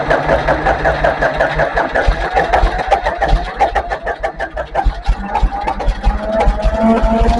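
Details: International 284 diesel tractor after fuel filter change and bleeding air from lines: slow, uneven cranking chuffs build into rising diesel clatter as it fires and settles; starts normally.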